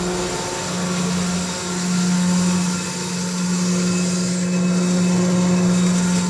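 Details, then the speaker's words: Electric fire pump switched back from emergency power to normal power: smooth steady hum with constant low tone, no knocks, rattles or surging; running normally. "we came back now we're back to normal F power"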